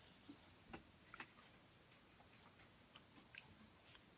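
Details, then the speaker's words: Omnipod insulin pod held close to the mic during activation: soft, slightly uneven ticking, about two clicks a second, as it normally winds up to insert the cannula into pinched skin. "I'm gonna hit start and then I pinch this part of my skin up like this and I'm gonna try to kind of sit a little bit closer so you guys can hear the clicking okay so start"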